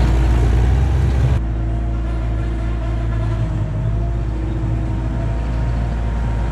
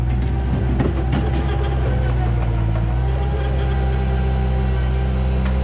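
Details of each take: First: 1999 Bobcat 864 tracked skid steer, trying to climb a hill: steady mid-pitched whine over labouring diesel drone while barely creeping; right-side hydraulic drive motor weak, worse when hot, hydraulic warning light; bad drive motor, later replaced with rebuilt unit. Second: 1999 Bobcat 864 tracked skid steer after replacing right-side drive motor with rebuilt unit and refilling fluid, test run: even diesel drone with faint steady tone, drive pulls smoothly without stumbling; healthy hydraulic drive.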